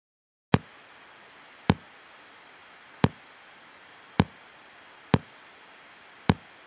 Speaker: хлопки иногда при включении педали могут раздаваться громкие хлопки причиной этому служит постоянное напряжение которое попадает в цепь во время нажатия кнопки включения педали в true байпасом